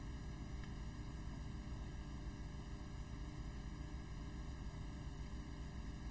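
Steady fine whirring hum with no knocks or scraping, an even low drone throughout; the mechanical chopper is running normally.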